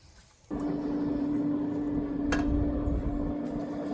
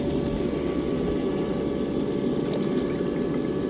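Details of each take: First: Intex SX3000 sand filter pump after installation: steady hum with churning, bubbling water like a jacuzzi; air bubble trapped in filter housing won't escape near the fitting underneath. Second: Intex SX3000 sand filter pump with sock inserted all the way to the bottom: steady, even motor hum and water rush, no rattles or surging; earlier made a weird noise with sock in, now running normally.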